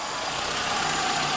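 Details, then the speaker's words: VW Gol G3 engine revved: a sharp, hissy chuffing that rises with throttle, with a visible puff of air at the gasket where the exhaust leaves the manifold; leaking exhaust manifold gasket. "faz um barulho horrível aqui ó na junta onde sai do coletor de escap Dá até para ver no vídeo aí ó quando ele acelera vai ter um espirrinho ali do ar passando"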